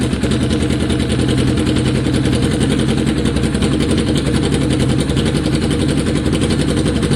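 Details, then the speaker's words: Kawasaki ER6 cafe-racer project, abandoned for years, idling after ignition work with no silencer: a loud, steady, even pulsing twin idle with no misses or knocks. Loud but healthy; a silencer may improve the sound. "That sounded healthy, eh? It was loud, but it sounded healthy. Put a can on it, it might sound better."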